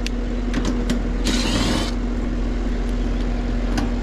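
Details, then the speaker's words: Residential AC outdoor unit on a no-cooling call, compressor had been just humming: steady low electrical hum with one brief bump as the compressor tries to start and fails; suspected loose compressor wire plug. "it bumped one time like it tried to come on yeah let's start with the basics and check this a loose connection can cause that compressor not to start"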